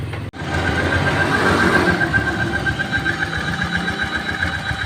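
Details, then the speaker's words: Honda Vario 125 scooter idling with a steady rattling tick and thin whirring tone; noise is sometimes very loud, comes and goes intermittently, and is not from the CVT (persists with front pulley removed); the water pump is noisy. "Vario 125 guys bunyinya aneh ini kalau di starter dikit ya bunyinya kayak gitu kadang kalau nyala tuh bunyinya keras banget tapi kadang hilang nanti muncul lagi"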